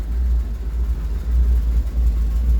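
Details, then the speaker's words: Rolls-Royce Silver Shadow II after sitting over 10 years, rebuilt twin SU carburettors and new fuel pump, low on transmission fluid: deep idle rumble that swells and sags unevenly, running okay but not smoothly; rough idle. "wouldn't say it's running great, but it's running okay. Some weird weirdness happening under there."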